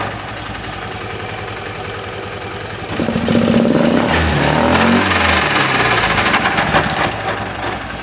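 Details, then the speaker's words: Honda Beat FI scooter idling, coarse gritty rumble from the CVT side that roughens as revs rise; sliding parts look fine, so the mechanic suspects a worn, damaged CVT pulley shaft bearing. "jadi analisa dari mekanik bengkel kemungkinan ini rusaknya ada pada bagian laher as pully CVT ini teman-teman"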